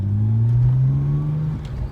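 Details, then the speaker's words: Nissan GTR, first running after years of neglect, warmed up to temperature: clean rev climbs smoothly then settles, steady deep exhaust note with no misses or rattles; normal running. "to temp and she everything's running nicely let's see"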